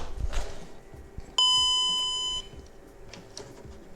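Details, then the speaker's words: Repaired VW Golf 5 instrument cluster (shared with Caddy, Eos, Tiguan, Touran), reassembled after fixing the silent warning/light buzzer: one clear bright gong about a second fading smoothly; chime works, speedo repaired. "as you have heard, the gong works. Speedo repaired."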